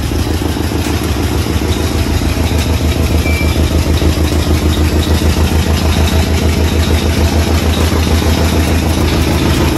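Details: 1986 Chevy Caprice box body, bought used: loud, lumpy idle with an uneven chuff and rasp in the exhaust. A leaking exhaust is suspected; not confirmed.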